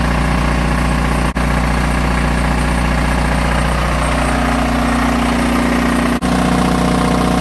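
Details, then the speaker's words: Onan DJB 6.0 kW diesel gen set after field coil rewind, taking load: steady even drone, no knocks or misses, smooth tone under load; healthy. "Well, seems to work just like it's supposed to."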